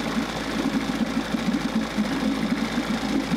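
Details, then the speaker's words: Steady, even rapid two-stroke idle, no misses or knocks: 1994 Johnson 6hp outboard idling well with thermostat removed, running cooler and pumping good water; seems to shift into reverse and forward. "actually idling really good too. I think I got it to go into reverse and forward."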